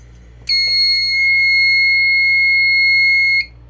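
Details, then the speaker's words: Fire alarm panel reset while the pull station is still activated: about 2 seconds later a steady piercing alarm tone starts abruptly and holds about three seconds, returning to alarm because the initiating device is still active. "And 2 seconds later, it's just going to go back into an alarm. So it's still active."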